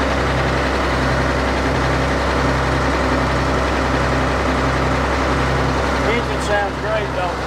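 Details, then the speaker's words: Apprentice 210D log loader diesel, brand new with about 91.72 hours, hydraulic fluid unchecked: even, steady idle with low constant drone, no misses or knocks; engine runs normally. "that engine sounds good oh yeah I didn't I didn't check the hydraulic fluid so it's probably out charging"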